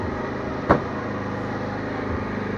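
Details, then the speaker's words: Peugeot V-Clic scooter after refit with cleaned air filter and new fuel filter: steady, even small-engine idle with a smooth low hum and no knocks or misses, engine settling down in intensity; healthy idle. "Ah voilà, vous entendez, le moteur diminue d'intensité."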